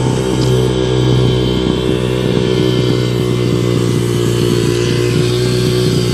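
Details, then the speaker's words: 2005 Yamaha 125cc dirt bike after fuel valve leak repair, yard test; idle piece broken, awaiting part: steady even single-cylinder drone holding speed without stumbling or popping; running cleanly. "However, I can just test it around here, and I'm going to have to order this broken piece so that I can work with the idling. Other than that, sounds great."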